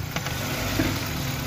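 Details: Old-model Maruti Suzuki Wagon R: steady idle with a rushing hiss over the engine note; vacuum leak from a hose that had come off its connector near the throttle body and intake.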